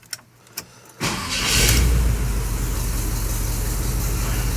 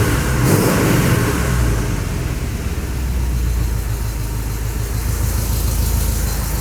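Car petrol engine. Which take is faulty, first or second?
second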